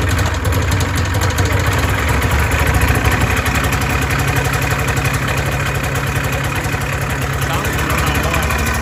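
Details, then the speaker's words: 1989 Arctic Cat Jag 440 AFS snowmobile, high mileage, two-stroke: uneven, stumbling idle with a lumpy irregular beat instead of a clean crackle; running on one cylinder, bogging and low on power. "you guys can hear the difference it does not sound clean at all"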